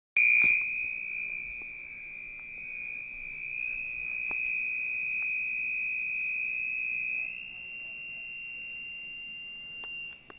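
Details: 1980s microwave after five power blackouts in a week: constant shrill high-pitched whistle rising slightly partway through; abnormal whistling tone, cause unconfirmed.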